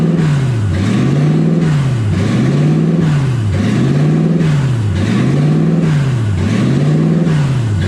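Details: 1UZ V8-swapped Ford Falcon, first start and drive, warm with radiator hot and gauge near 160: the idle surges up and sags back steadily about every 1.4 seconds. Owner is unsure why; hunting idle.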